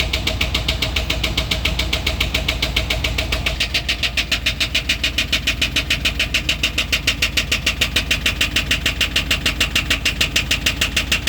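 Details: Truck idling with sharp, even ticks about three and a half per second over a light idle; owner asks whether it comes from the catalytic converter, source unknown.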